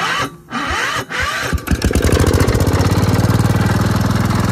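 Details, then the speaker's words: Gravely Promaster 50 tractor, sitting two years, after refitting the loose plug-wire clip, taken out of gear: a couple of cranks, then it catches and settles into a fast, even putter; runs well, though the rotted mower deck vibrates badly. "Cool. Man. Well, it ran and worked good, but this mower deck is so shot."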